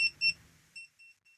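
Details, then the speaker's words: TESMEN TN-213 non-contact voltage tester with fresh batteries beeping: thin, high chirps about four a second that fade quickly and stay faint; the beeper works normally but is not very loud. "So there's not a whole lot of cons to this. There's only one, and it's probably because of my own hearing, is that the beeper in it is not real loud."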